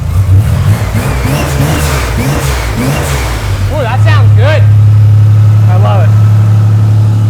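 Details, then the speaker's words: DIY AWD turbo 4.3 V6 S10 junkyard engine, first start after rebuild with cylinder head repair and timing fixes, about 10° timing: ragged cranking catches, then deep, steady, even rumble holds; healthy normal running. "all right all right Cyclone fired up baby"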